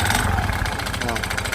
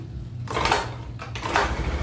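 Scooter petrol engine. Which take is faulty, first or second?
first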